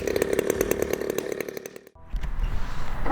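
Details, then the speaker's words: Brand-new Turnigy TP-26 RC gas engine with CD ignition and Walbro carb, hand-started out of the box and running in on the bench. Rapid crisp buzz runs steady, drops out briefly, picks back up: healthy running-in. "we're going to go back over and close off to the uh to this video now back on the bench I'm gonna finish running in this tp-26"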